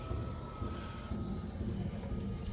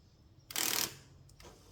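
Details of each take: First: Cadillac DeVille (Gigapony build) driver window after replacing the motor: smooth, steady motor whine with even pitch dipping slightly as the glass reaches the stop; window runs normally. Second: Cadillac DeVille (Gigapony build) driver door power window motor, powered at the door: short harsh ratcheting grind when the switch is pressed, then a faint second catch; stripped motor gear, fixed by a new motor.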